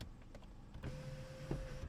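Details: Used car's sunroof tilting and sliding open: a steady electric motor hum of about a second with no grinding or clicking. The sunroof motor works normally.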